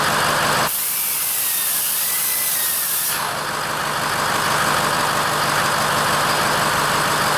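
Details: Ford F-550 6.0L diesel dump truck idling after a no-crank, with a jumper cable run from the battery to the frame (13.5 V): steady, even diesel clatter near four beats a second with a brief air hiss early on; normal idle.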